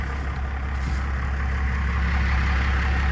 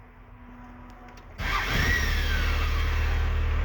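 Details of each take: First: Diesel after replacing the throttle linkage ends, before adjusting the idle screw: deep, slow, lumpy idle with steady loping beats and no stumble at about 300 rpm; idle set too low and needs raising. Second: Diesel after replacing the throttle linkage ends and adjusting the idle screw: fires up after a short crank and settles into an even, steady idle with no misses or knocks; linkage good, no problem.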